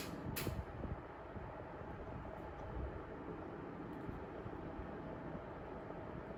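A steady, even airy rush with no knocks, rattles or changes in pitch; the fan is running smoothly.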